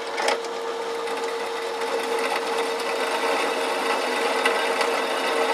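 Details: 380V electric motor rewired for 220V, triangle/star connection test, drill press with a 13 mm bit, the chuck's maximum: steady hum with firm constant tone, no knocking or grinding; running normally under load.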